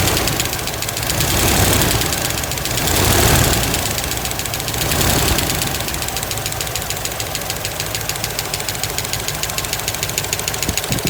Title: 1963 impala 327 V8 SBC ticking noise right side valves